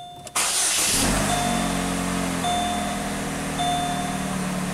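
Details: 2007 Pontiac G6 with P0335 crankshaft position sensor code, after a temporary jumper on the sensor wiring restored the rpm signal; the starter catches at once and settles into smooth, even idle with a repeating dash chime; normal start.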